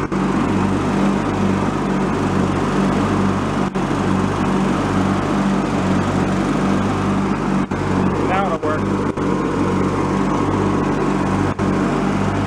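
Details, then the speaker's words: Free, previously derelict Craftsman riding mower, function check after electrical and safety-switch repairs with spindles checked not bent: even engine drone with the deck spinning, no grinding, squeal or bearing rumble. Deck fairly quiet, bearings not noisy, runs normally. "everything seems to function okay mower decks actually fairly quiet the bearings aren't noisy that's a good sign"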